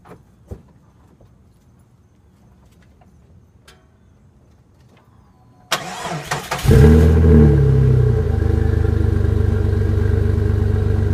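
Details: Jeep with Flowmaster muffler: after a pause the engine cranks and fires into a loud, deep, raspy idle from an exhaust leak at the muffler; owner plans to weld it.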